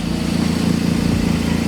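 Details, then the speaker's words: Supercharged Chevrolet Cobalt SS with new tensioner bolt: low lumpy idle with pulsing intermittent rattle or slap, owner places it near the timing end, worse when warm but present from start; cause unconfirmed, new water pump and thermostat ordered. "the odd thing is is when it gets warmer it does it more often"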